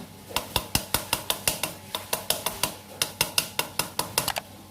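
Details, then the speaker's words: Motorcycle chain making sharp metallic clacks about four a second, noisy especially over potholed roads, as it slaps the swingarm chain slider rubber, which has hardened with age; fix is replacing the slider pad. "lalu c-nya bunyinya seperti itu ya itu disebabkan karena karetnya sudah keras"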